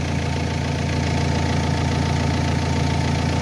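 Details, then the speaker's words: Renault Espace III 2.2L idling with the battery disconnected and its positive cable moved away, alternator alone supplying the electrics at about 14 volts: steady, even low drone with no misses or knocks. The engine keeps running, so the alternator is good. "Là le moteur, l'installation électrique est alimentée par l'alternateur."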